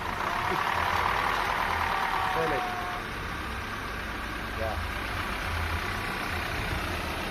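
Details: Audi Q5 with CDNC engine, after timing failure repair with timing chains and guides replaced: a steady, even idle under background voices with no chain rattle or slap; the engine runs normally.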